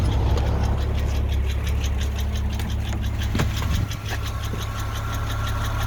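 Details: Porsche 986 Boxster 2.7 flat-six idling evenly with a recently developed light, sharp tick about three per second over the low rumble; cause unclear.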